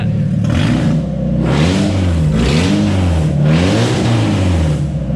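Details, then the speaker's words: Mazda Miata during a 24-hour overhaul, first start after the transmission was reinstalled. Clean, smooth rev swells settling back each time with no grinding or clunks from the gearbox, suggesting the input shaft is seated properly. Normal revving. "one just gonna start it without it in there it goes that scared there's gonna be at first so it sounds like the input shaft is in properly"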